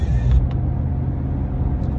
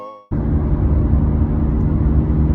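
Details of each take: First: Minivan (Caravan) cabin on the road test after rear wheel bearing replacement, AC and radio off: low, even road rumble with no hum, growl or whir; no bearing noise. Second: Caravan driving on the road: a steady, low droning hum under the road noise whose tone changes with speed, from worn rear wheel bearings that have no wobble; the bearings were replaced.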